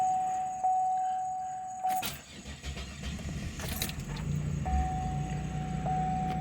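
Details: Buick LeSabre after new ignition control module and crankshaft position sensor, fixing crank-no-start, battery a little low: door chime and key jingle, brief crank, then low steady rumble as it catches and runs; repaired.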